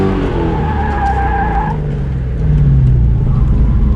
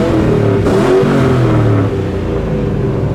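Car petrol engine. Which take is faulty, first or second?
first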